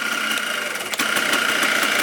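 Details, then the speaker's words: 2004 Yamaha Blaster 200cc two-stroke after the stuck carburettor float was fixed; the carb no longer leaks and the airbox is off. A quick, even idle with loud carb intake hiss; the engine sounds healthy. "not leaking no more sounds pretty good no air box that's why you can hear the carb like that"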